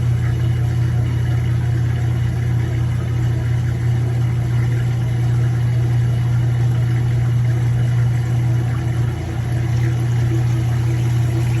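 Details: Kenmore 80 Series direct-drive washer on neutral drain: constant low motor hum with faint uneven pulsing as the basket turns when it shouldn't; the transmission is slipping, a bad transmission that was later replaced.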